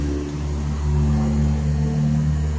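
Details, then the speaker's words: Turning the key primes the fuel pump with an even low hum and steady whir, no catching or surging; a good pump, tested while fixing engine stalling and blue smoke after a bad 1.8-ohm coil was found. "hearing a sound That's a indication of a good pump"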